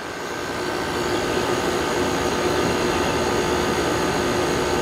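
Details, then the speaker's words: 2001 General Electric Quiet Aire air conditioner with Hero compressor, new fan motor bearings, warmed up and cooling: smooth fan whoosh over steady compressor hum, no rattles or knocks; earlier noise owner attributes to compressor sitting long; healthy, quiet. "that is really quiet sounds beautiful that sounds beautiful really quiet yeah i think it's just because the compressor was sitting for so long"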